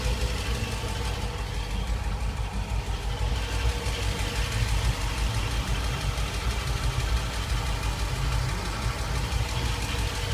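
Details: SRT8 V8 at idle: deep, steady rumble with a fast, light ticking running evenly through it.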